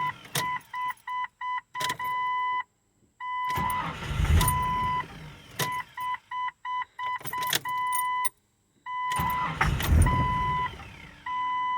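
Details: 1999 Jeep Cherokee: door chime beeping, then two long cranking bursts that never catch cleanly; hard start with extended cranking.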